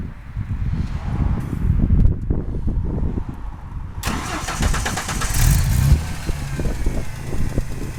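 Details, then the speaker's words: 1993 Ford F-150 after a makeshift fuel leak repair and fresh oil with thick additive, cold start: engine settles into a rough idle with light fast tapping that fades as oil flows; owner attributes it to oil; startup ticking. "hear that thick additive uh start mixing in with it you heard the tapping and then it started flowing so that's gonna need a minute to warm all that [ __ ] up"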